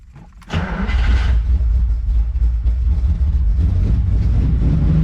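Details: 1972 Ferrari 365 GTC/4 that failed to start, after checking the carburetors and filling the fuel rail: engine catches within half a second and settles into a steady, deep, even run, no misfire or knock.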